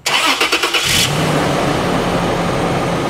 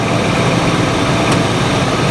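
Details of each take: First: 2006 Toyota 4Runner running after drive/reverse shifts: a steady low howl from the automatic transmission pump, which is seriously low on fluid even after quarts were added. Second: 2006 Toyota 4Runner with check engine light and transmission codes, after refilling fluid: steady idle in gear, drive and reverse engage on brakes with no clunk, slip or whine; transmission sounds healthy.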